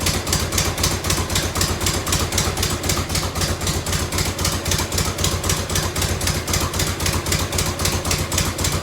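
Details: 1990 Harley-Davidson FLHTC Evo V-twin, on reserve with choke, camera on a stand: loud lumpy idle with a light quick ticking on each firing pulse, a small exhaust leak tick; some fuel leaking.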